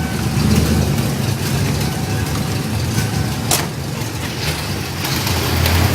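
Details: 1993 5.0 V8 with a rough idle: low, uneven idle with a loping, unsteady beat and irregular pulses instead of a smooth run.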